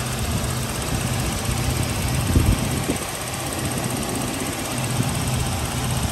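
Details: Toyota Kijang LGX 1.8 EFI 2003 manual, about 297,000 km: steady, even low rumble at idle with a faint light ticking on top from the petrol injectors and fan; normal idle.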